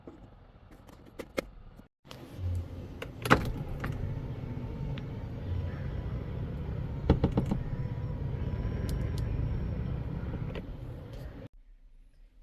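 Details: Toyota Alphard/Vellfire 20-series power seat reclining, after a rusty joint was sprayed with WD-40: a steady low motor hum for about nine seconds with no squeak. The earlier squeak is fixed.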